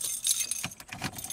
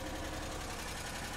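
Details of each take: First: Pontiac Grand Am after removing an aftermarket remote start/alarm and re-bending a poorly contacting wire: scattered clicks, then the engine catches and settles into a quiet, even run; clean, normal start without the remote system. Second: Pontiac Grand Am after aftermarket remote start/alarm removal: steady fast light tick over an even idle; engine now runs after a yellow wire that wasn't making good contact was re-bent, owner plans to solder or crimp it.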